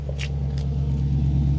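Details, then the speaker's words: Cheap used Audi at cold idle, car with no power steering and an ABS fault; short, steady, deep burble with even low beat and no knocks or misses, a healthy-sounding idle. "It's got a really nice little burble there."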